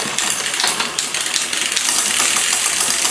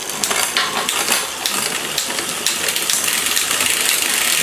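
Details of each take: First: Liv Intrigue road bike with new chain, cassette and cables: dry, rattling chain chatter as the rear derailleur shifts down the cassette because the cable needs more tension; quieter after adding tension. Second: Liv Intrigue road bike with new chain, cassette and cables, after adding cable tension to cure noisy downshifts; crisp single clicks stepping across sprockets over freewheel hiss, now in highest gear, shifting clean.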